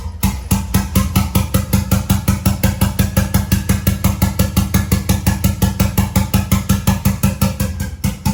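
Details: 1993 Toyota MR2 with a 3SGTE Gen5 engine build, freshly started for the first time: steady, even idle pulses with no knocks or misses. It sounds healthy despite a check engine light and a little smoke, thought to be paint.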